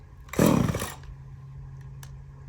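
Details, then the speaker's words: Echo CS-3450 two-stroke chainsaw after replacement carburetor, high and low mixture screws finely tuned; quick sharp throttle blip then drops straight to a steady, even low idle without dying; normal running after repair. "What do you guys think? I think she sounded pretty good. Finally. There's nothing like a good little two-stroke."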